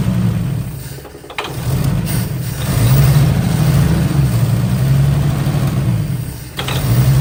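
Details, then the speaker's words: 1955 Chevy Two-Ten coupe parked 40 years, jump pack plus starting fluid: low, somewhat uneven six-cylinder rumble keeps running, rising and falling with throttle blips; engine running on starting fluid after decades parked. "thanks to the jump pack and some starting fluid and she fired up like she was started yesterday that is incredible"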